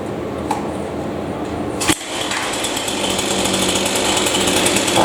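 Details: Chainsaw revs up with a rough, flat buzz that won't clean out at high speed, responding poorly before adjustment; air filter clean, so the high-speed carburetor mixture is maladjusted and needs adjusting.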